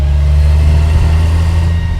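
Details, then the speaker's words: Toyota Chaser JZX100 after a manual swap to an R154 gearbox, driving slowly on a dirt road: steady mid-pitched whine over low drivetrain rumble, loud; said to be normal in these cars, not confirmed. "That's crazy. I've heard that it's quite normal in these cars, but it's still weird. And it's loud as heck."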